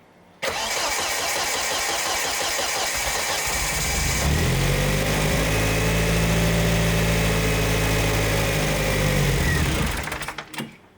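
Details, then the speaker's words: Volvo S40 with Holset HX40 turbo, first start on new Speeduino ECU after fixing spark timing: engine catches, runs unevenly with wavering revs, then stumbles and dies; sounds like everything is too lean, not confirmed. "sweet so it sounds like everything is too lean"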